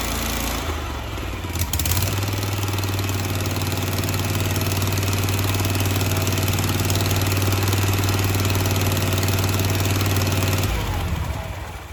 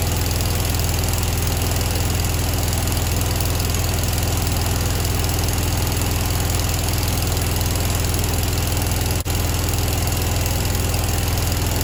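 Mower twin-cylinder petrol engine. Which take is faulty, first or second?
second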